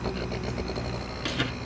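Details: Midea inverter air conditioner, previously very noisy, after a thick piece of rubber was wedged in as a mount: a low steady hum with only a brief light rattle and no heavy vibration buzz; it now runs normally.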